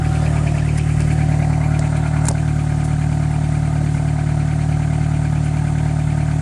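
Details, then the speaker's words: 1998 Honda Accord at steady idle: loud, deep, blatting rumble with an even pulsing throb as exhaust escapes through a huge rusted-through hole in the muffler, none out the tailpipe. Recorded before muffler replacement. "It's really rusty, huge hole, just rusted completely. Huge hole."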